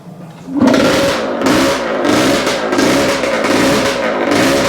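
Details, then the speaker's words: Yamaha AT-2 MX 125 two-stroke that won't rev past 2000 rpm and runs a little rich. After rewiring, blips rise and fall back raggedly with misfire. Better but still not right; ignition suspected. "so it's better but still not right"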